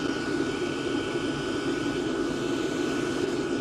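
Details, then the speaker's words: Diesel parking heater in a workshop, microphone at the combustion air intake with the intake silencer/filter removed: steady hissing roar with a thin, high-pitched, clearer tone, up to 80 dB versus 73 dB with the silencer fitted. "You can hear it, I hope it comes across in the video. The sound isn't necessarily louder, but it's higher pitched. You can hear it better, it's clearer, so the sound transmission is better, and because of that, I find it more unpleasant. I measured up to 80 decibels here, that's significantly louder."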